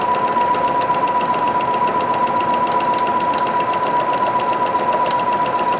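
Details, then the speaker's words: Singer Futura Quintet sewing with an embroidery needle on thin poly cotton, after the bobbin area was cleaned and oiled: light, even needle ticking at about 2.5 stitches per second with a faint steady whine; very quiet and healthy. "So listen to this one more time before I sign out. Very quiet, very nice."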